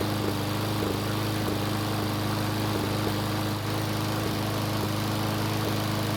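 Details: Roughly 20-year-old Craftsman mower single-cylinder after retightening loose head bolts: steady drone with faint uneven stumbles every few beats, still sputtering; the bolts only caused a small oil leak, owner suspects the carburetor; engine sputtering.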